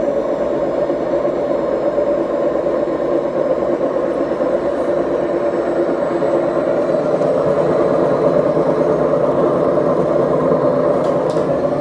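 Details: BEKO washing machine, 7 years 8 months old, drum bearings gone bad: steady, heavy rumbling roar throughout the drum run with no letup, typical of worn drum bearings.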